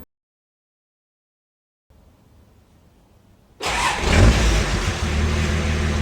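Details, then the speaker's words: Twin-turbo (twin VNT) TD42 diesel in a Nissan Patrol, started after the build and after bleeding the diesel: a short crank, then it fires at once into a steady, even idle with a deep, clean rumble. Normal start; oil drain lines later found leaking. "Okay, that may not actually be the first time I started it. Aside from a bit of time spent bleeding the diesel, it came to life no problem."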